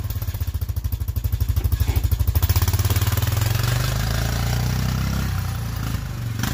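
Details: Honda Foreman four-wheeler that wouldn't stay running, after carburetor cleaning: small single thumps pulsing a little harder at first, then settling into a steady low putter; runs clean and healthy.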